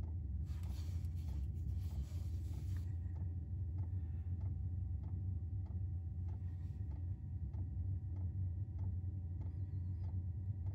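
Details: 5 kW Chinese diesel heater newly installed in a 1995 Chevy Astro camper van: light, regular clicks about twice a second over a low rumble. The dosing pump is ticking normally as fuelling begins.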